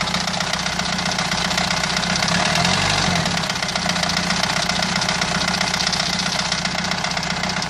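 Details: Renault 2.2 dCi diesel idling with a fast, fairly uneven tapping knock about four per second over the engine note; knock present, cause undetermined.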